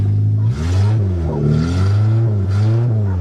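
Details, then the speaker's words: Suzuki Swift 1.3 small petrol engine, after rollover and a makeshift fuel system with lines run into the front seat, first start: smooth, even revs rising and falling cleanly with throttle, no knocks, misses or rattles; normal engine revving. "Well, I hear it running. Oh yeah, simple as that."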